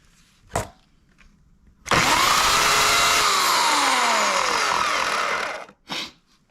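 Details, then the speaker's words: Oregon CS1500 120V electric chainsaw after about ten cords of bucking: under load a harsh rasping grind over the motor whine that sags as the chain bites, began suddenly, plus a noise at shutdown; worn motor bearing. "so there's two noises it's really grindy and it just started all at once I was using it it was cutting fine and all of a sudden I just started grinding"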